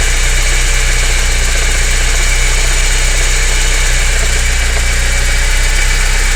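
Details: BMW E30 318is at idle: an even low thrum with busy mechanical chatter over it. Engine noise at idle, cause not pinned down.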